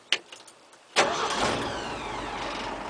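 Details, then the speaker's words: 1967 Ford 300 inline six with 2in exhaust: short crank, catches at once and settles into a steady, even idle with a light valve rattle, which the owner says is harmless; runs smooth. "starts right up every [Applause] time little rattle R along the valves there but doesn't hurt anything I kind of like it runs nice and smooth and even"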